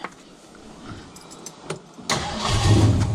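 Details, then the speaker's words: After a cheap Summit Racing distributor failed, after adjusting timing: catches instantly and settles into a steady, even idle; timing then checked at about 20–25, slightly retarded. Normal start and idle. "Hello, look at that. Geez, that's really happy straight off the bat."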